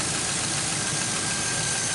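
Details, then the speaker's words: 2005 Chevy Envoy, about 178,000–179,000 miles, idling after the serpentine belt and pulleys were replaced over an earlier pulley noise: steady, even idle with a smooth belt hiss, no squeal, chirp or rattle; accessory drive now sounds good. "it does sound a lot better I wouldn't have replaced all that stuff but you know I had the parts and he he went ahead and did it and it sounds good"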